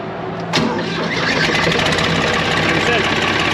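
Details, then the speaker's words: Four-cylinder Cummins 4BT diesel power unit on a Morbark 2400XL track chipper, clogged radiator and leaking injection pump; brief cranking then catches at once into an even, steady rumble, clean start. "Injection pump probably leaks more diesel than it does feed diesel. But she still works and starts all the time."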